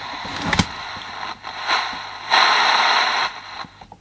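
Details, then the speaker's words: Copal fluorescent display clock radio, still drying after liquid was spilled on it: radio hiss swelling between stations, with a faint low buzz under the FM noise. It stays on fine on AM. "You can hear it buzzing on the FM."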